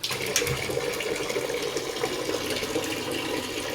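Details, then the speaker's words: Gas geyser after repair that had been making loud bang/explosion sounds with flames shooting up; gasket opened and cleaned: steady water hiss and even burner roar with no pops or bangs; running properly. "ये देखो बिल्कुल सही चल रहा है geyser."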